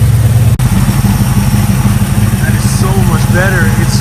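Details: 1965 Chevy Nova wagon V8 idling smoothly and even, with no misses or hunting and no rich smell, right after fitting a new Holley 450 carburetor (SL-450-VSTRR); the belt now squeals when revved. Normal idle.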